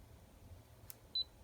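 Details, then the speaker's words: Kaiweets HT112B smart multimeter gives one short high-pitched warning beep during a current reading after the coarse knob was turned up by mistake; the meter later showed a fuse message. Cause not confirmed. "i think i heard i heard this beeping at me like it's beeping now"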